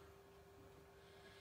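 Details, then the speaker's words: Lorex surveillance DVR after failed cooling fan was replaced with an old HDD-enclosure fan: faint, steady single-pitch hum with no rattle or scraping; fan running normally. "okay it's working again you can hear the fan blowing"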